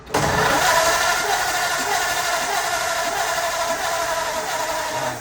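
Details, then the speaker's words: 1935 Ford flathead cranks steadily with spark present but won't catch; it briefly fired and idled, then spark weakened while cranking. Plugs pulled and checked first. Definitely not getting fuel, so the carburetor is to be taken apart and cleaned. "But it did hit and sat there and idled for a second. It's definitely not getting gas."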